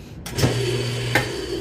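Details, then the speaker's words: Old Kenmore washer on regular wash: a low motor hum with a couple of sharp clicks; the motor spins but the agitator and drum don't agitate or spin, likely a broken motor-to-transmission coupler; the grinding noise led to coupler testing and replacement. "You can see if you open it quickly, you can see the drum or agitator not spinning, but something is spinning"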